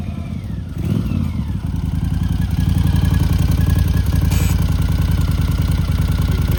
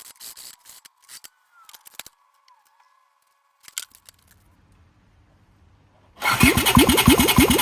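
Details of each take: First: 1982 Honda CX500 Turbo, 500cc, at idle after brake caliper work and battery charge: rapid regular puffing chuff about three or four beats a second riding on idle, like the exhaust is blowing; exhaust leak. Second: 1982 Honda CX500 Turbo (500cc) running after the blown turbo exhaust gaskets were replaced with homemade copper ones: even, regular firing with no ticking or exhaust puffing, no leaks. It later cuts out when coming on boost.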